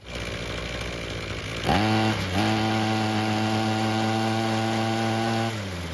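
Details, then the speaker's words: Ryobi two-stroke string trimmer that wouldn't start, after a second ultrasonic carb cleaning and removing a stuck screw, no adjustments made: pulls over, catches and settles into a clean, steady buzz without surging or stumbling. Normal running. "And will you look at that, a second more thorough cleaning is exactly what it needed. The carb now seems to be working like it should without having to make any adjustments."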